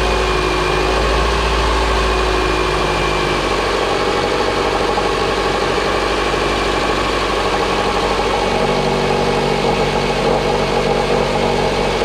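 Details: Proton Inspira (Lancer 08) before replacing the V-belt, idler pulleys and belt tensioner. A steady high squeal rides over an even idle right from start-up, pointing to a cracked belt slipping on a worn pulley.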